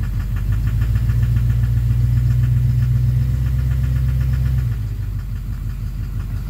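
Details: 2009 Chevrolet Duramax LMM dually with Allison transmission and new Suncoast 1800 rpm low-stall torque converter, idling in gear on the brake: steady low rhythmic knock, easing as load drops; injector knock or cracked flexplate suspected, not pinned down.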